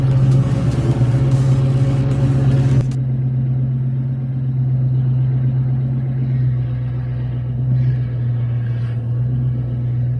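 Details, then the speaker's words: 2004 Mustang GT after front steering repair with new parts including tie rods, previously noisy from the front: only steady low engine hum as wheels turn, no clunks or knocks from the front end: normal steering and suspension, no clunk. "there you go now that sounds so much better so much better and I'm so excited because the car drives is so good"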